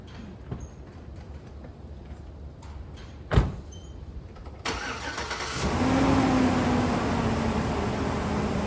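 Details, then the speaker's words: GMC Yukon half-ton with a cheap aftermarket fan clutch: engine catches, then a heavy rushing roar swells as revs rise and stays; fan clutch stuck engaged, not slipping at higher RPM, to be replaced with AC Delco 15-4694. "so what happens here is a fan clutch is supposed to it's got like a thermostatic coil inside of it at idle right on lock it's pretty tight well what happens is when the engine RPM increases this clutch gives a little bit and the fan slows down"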